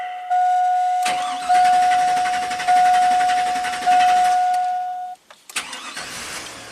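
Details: 2000 GMC Sierra V8 with intermittent crank-no-start, scoped at coil, injector and injector fuse; long steady starter whir in rhythmic pulses, then a pause and a brief rough catch.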